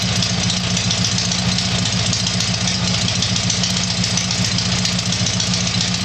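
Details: Tiger-1 engine (Bill's) started after rebuild, loud fast steady idle with a busy even beat, holding speed without stumbling or surging; normal idle.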